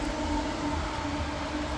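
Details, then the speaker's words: Electric cooling fan turned on by Infinitybox legacy smart wiring keyfob override (one click, trunk button); steady even whooshing hum with faint constant tone, no rattles or scraping; normal fan running. "So we go one click and fan, and you can hear the fan running."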